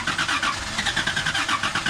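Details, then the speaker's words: 2004 Toyota Tundra 3.4L, sunk at a boat ramp: fuel drained at the fuel filter shows water. Starter cranks steadily at about five pulses per second without the engine catching, pumping the water out of the fuel system. "easiest way to get the majority of the water out of the fuel is going to be right at the fuel filter here i think oh yeah yep that's got water now i can crank her over pump that water out"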